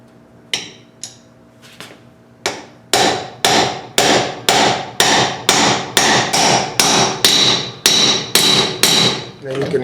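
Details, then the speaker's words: AMC 20 rear differential gear and bearing change: bearing race hammered in from its outside edge about twice a second, last blows ring sharper and higher as race bottoms out fully seated. "a change sound when you buried it so when you heard that noise change that's when this race came right to that edge here so we know it's all the way in"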